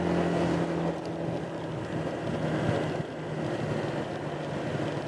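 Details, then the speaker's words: Honda PCX150 after installing new 14 g variator sliders: steady pull under full throttle with wind rush and no shudder or bogging. Previously the variator stuck in mid ratio and bogged the engine. Normal CVT acceleration after repair. "Oh, it takes off smooth again instead of shuddering, feeling like it's going to self-destruct. Let's go this way. Oh yeah, full power acceleration now."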